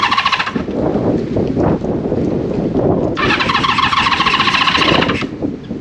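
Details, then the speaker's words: 1974 Honda CB550 four on first start during restoration, gas syringed into the cylinders bypassing carb bowls, points issue found earlier: catches and runs briefly with ragged uneven firing and a sharp squealing note; possibly leftover starting fluid, own fuel delivery unproven. "it might still be though yeah that could be the leftover starting fluid yeah that's something"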